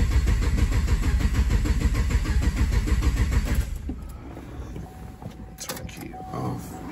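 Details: 2015 Camaro SS: on a cold start after clear-flood cranking, a lumpy, uneven beat of about two hundred pulses a minute settles down; relative compression testing shows one cylinder misfiring, and a cam swap follows.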